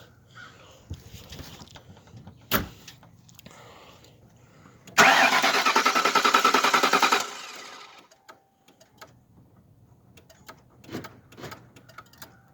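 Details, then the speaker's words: 2001 Lincoln Town Car after its dead battery was put on a charger. A couple of seconds of steady, even cranking that never catches; clicking was heard, and the owner suspects the fuel pump, possibly a fuse: crank no start. "it's still not starting but it might be a fuse i'm not sure but i heard it clicking so i have a feeling it's pump"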